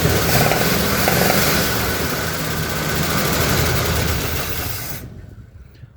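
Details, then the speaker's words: 1977 Ford F-250 V8, sat 15+ years, first run on a little gas: rough running with light quick top-end tick about four a second, then shuts off; owner judges it a tick not a knock, plans to pull valve covers. Engine ticking at idle. "she's definitely ticking but she runs it sounds like a tick and not a knock so might be able to just pull in valve covers and see which one is giving us an issue"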